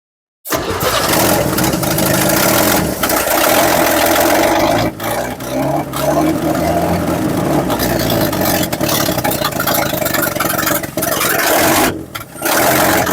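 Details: 1960s Chevy C10 bought sight unseen, first start with fuel drawn from the tank; long uneven cranking and sputtering catches with brief dropouts, struggling to fire and stay lit while fuel draws up.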